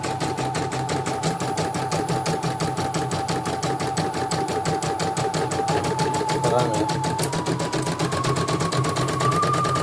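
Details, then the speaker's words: CNY E900 embroidery machine, in for heavy turning and hissing, after replacing the motor (dynamo) and testing the sensor: fast even needle ticking over a smooth hum, no skips; stitching healthy. "Coba kita mundurkan kembali. bagus, nggak ada loncatannya."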